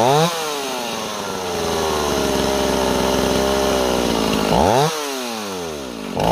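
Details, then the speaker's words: Warm Stihl 028 chainsaw after new crankshaft seals: pitch keeps wandering up and down and won't hold steady despite tuning; unstable speed, owner suspects an air leak between carburetor and intake boot, pending vacuum/pressure test. "See how it's constantly changing no matter what we do with our tuning? I think we have an air leak,"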